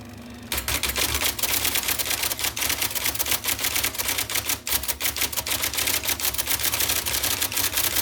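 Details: 1979 IBM Selectric II (non-correcting) typewriter, revived after fixing miswired plug, cleaning and lubricating: crisp, rapid keystroke clacks in quick even bursts, no grinding or binding; normal typing operation.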